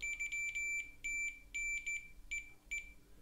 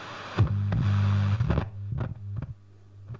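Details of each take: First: Loewe-Opta Magnet 3737W tube radio, faulty oscillator: multimeter continuity beeps across the desoldered oscillator coil winding (L22, from tube pin 8), showing the coil is intact. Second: Loewe-Opta Magnet 3737W tube radio under restoration, after oscillator repair, near full 220 V: FM band with a little antenna gives only low steady hum, hiss and scattered clicks and crackles, no station received; AM/medium wave works, FM may have a similar problem.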